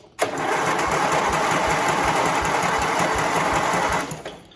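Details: John Deere tractor with a Briggs V-twin, jump-started, spark confirmed on both cylinders: even cranking chuff about four beats a second for four seconds, never catching. Owner suspects slow cranking; sounds fuel starved.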